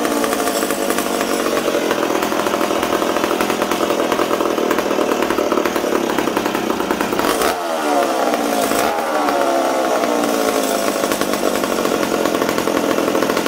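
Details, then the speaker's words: McCulloch Super Pro 70 chainsaw after a fuel tank repair and carburetor re-tune from a too-rich setting: clean, steady high-pitched scream, dips briefly twice and picks straight back up; runs crisp. "wow there we go super pro super pro 70 ready to go again hopefully"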